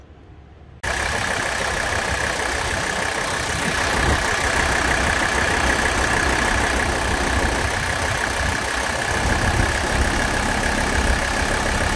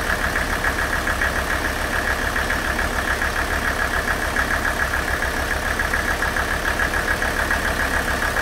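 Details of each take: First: Mercedes OM617 diesel with high-output injectors, new return lines and fuel filter, after a Liqui Moly Diesel Purge injector cleaning: steady idle with an even clatter about four beats a second and hiss. Injector noise returned once purge ran out, milder than before. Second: Mercedes OM617 diesel, warmed up, running Liqui Moly Diesel Purge through the injection pump; nailing noise disappeared about two minutes in: steady, even idle with a regular low pulse, no sharp nailing or clatter; engine sounds smooth and quiet, normal idle.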